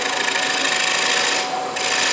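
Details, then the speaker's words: Finish-turning a dried, roughed-out bowl on a lathe: a gouge used with light pressure takes fine shavings with a quiet, even hiss and no chatter or catching. A clean cut. "you can see it's just taking real fine shavings you can hear how quiet it is if you're making a lot of noise with this tool you're doing something wrong"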